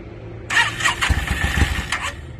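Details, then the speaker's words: 2002 Yamaha V-Star 650, newly bought, possibly needing a full tune-up, on choke, rusty gas tank; starter grinds in bursts, engine coughs a few uneven firings without catching. Hard starting, owner suspects flooding. "probably flooded it out and all kinds of stuff. I was just real anxious to hear it start, which I did get it running for a second, which you guys will see, but I'm pretty sure I flooded it out."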